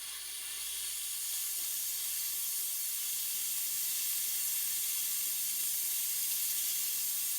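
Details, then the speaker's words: Stuart Models No. 10V model steam engine, non-runner, test on compressed air into the steam chest: steady even hiss, no exhaust beats, air blowing straight out the exhaust; slide valve suspected not seating, possibly missing piston. "think it would work and it doesn't every bit of the air that I'm putting into the steam chest is just blowing straight out of the exhaust so this could be down to two things either the engine does not have a piston or more likely there's something wrong with the slide valve"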